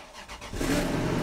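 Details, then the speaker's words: Copart Cat U donor V8, 207,000 on the clock, oil overfull, quarter tank, jump-started after likely long storage: starter cranks briefly, engine catches into a steady, quiet run; healthy start. "she [ __ ] loves it listen to her you can barely even hear it oh yeah that is good news"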